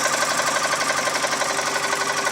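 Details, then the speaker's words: 2003 US-market Mazda 6 2.3L petrol engine with a sudden fast, light metallic ticking like a bicycle ratchet that rises with throttle. Bearings look clean and the chain is tight, so the cause is unknown. "стук не похожи ни на вкладыше не на цепь не понятно что это за стук такой трещотка на велосипеде"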